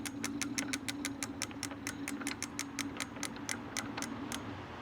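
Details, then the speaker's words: Lectric XP 750W folding eBike hub motor keeps humming and driving with regular ticking about four times a second after throttle release instead of stopping; owner suspects internal controller fault, before controller replacement. "I'm gonna hit the throttle again. And now you can hear it humming. And still trying to go. It shouldn't be going right"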